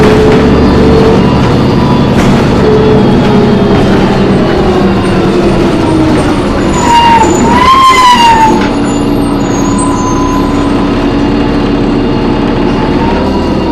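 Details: Loud screech while driving an MTA New Flyer D40LF bus #4088, recorded on board: a high screech briefly rising and falling over road and engine noise; source unclear, brakes or transmission suspected.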